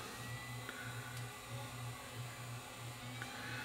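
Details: 1981 RCA VET650 VHS VCR at power-up: rhythmic throbbing hum about 1.5 pulses a second under a high whir as head drum overspeeds with scrambled picture; drum servo fault, suspected capacitors in sample-and-hold circuit.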